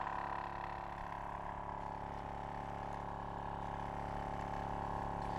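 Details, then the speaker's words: Tyre compressor powered from a Noco Genius Boost Pro GB150 lithium jump starter in override mode, under its rated 13.8 V; steady droning hum with a lazy pumping beat, slower than off a car, but inflating the tyre; running slow on low supply voltage. "Now, it doesn't sound as fast as when it's running off a car, but it is pumping that tyre up."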